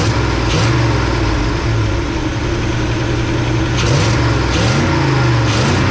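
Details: 1971 Chevy C10 small-block V8 after in-truck cam, lifters, timing chain, 4-barrel intake, distributor, ignition, timing and valve set: deep, fairly even rumble with light throttle blips, healthy though smoking a little.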